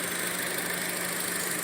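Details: 2014 Chevrolet Cruze LTZ petrol engine idling smoothly with a steady hum and even airy hiss, no stumbles, after replacing the damaged valve cover that was drawing air and causing a whistle atop the engine and codes P0171, P1101.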